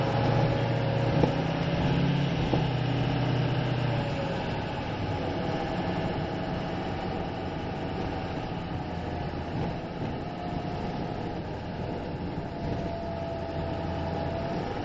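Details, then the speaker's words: 2006 Ford F-550 4x4 with 6.0 L diesel, already bulletproofed, five-speed, while driving: steady low diesel drone, no knocks, rattles or misses, pulling smoothly and quieter than a 7.3 Power Stroke; healthy engine. "So, you can hear the engine purring along here. Uh, as far as the diesel go, it's uh quieter than my brother's 7.3 Power Stroke."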